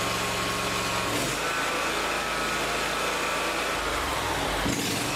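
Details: Lawn tractor engine after installing an electric fuel pump to fix a fuel problem: high light buzzing note, dips twice in speed but keeps running.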